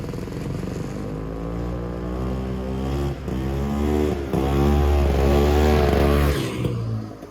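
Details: Tradewinds Tiger snowmobile (1966-69, believed 1969, original paint) running: a crisp single-cylinder buzz that rises and falls cleanly with the throttle, firing evenly with no misses. It runs healthy, though some carb tuning is still needed.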